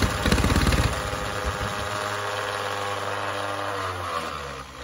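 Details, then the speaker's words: 1960 Onan industrial engine for a homemade Model T replica, first start in many years, plugs dry, owner suspects stuck needle and no fuel in the bowl. Fires on sprayed brake cleaner with uneven chugging, runs a few seconds then sags; fuel delivery doubtful. "just it's going to run it did run just not sure we're getting fuel just yet"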